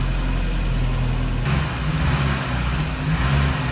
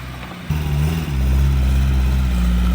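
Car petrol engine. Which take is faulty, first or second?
first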